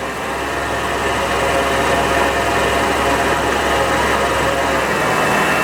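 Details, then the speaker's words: 1929 Chrysler 360 engine with alternator and regulator on a lathe test rig: steady motor hum sags slightly as the regulator is grounded and the alternator starts charging, pulling down, then running about 14 volts; normal alternator charging load. "Hear it pulling down. Now it's running right now 14 volts."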